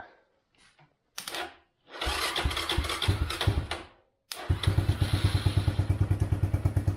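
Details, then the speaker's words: China ATV sitting over 6 years, cold start with homemade main harness, no starter fluid, choke on: cranking bursts and stumbling catches, then rough pulsing idle; runs, but dies when choke removed until warmed up. "So it needs to warm up. I took off the choke and then it dies out, but it runs, which is a huge accomplishment after how long it's been sitting"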